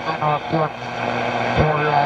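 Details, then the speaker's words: 1938 Stromberg Carlson 240-H 11-tube superheterodyne radio, repaired and aligned, tuned to single sideband: quacking, garbled voices with wandering pitch because it has no BFO to reinsert the suppressed carrier; a signal generator would decode it. Expected garbled SSB audio. "it'll receive it but it you know it doesn't have a bfo to uh to make it sound properly so sideband is a a suppressed carrier and this needs the the bfo to insert the part that's missing"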